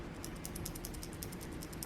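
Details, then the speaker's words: Guitar tone potentiometer being turned by its knob: a light, regular ticking about five times a second as the small internal gears rattle. "you can hear the gears rattling about in there right okay"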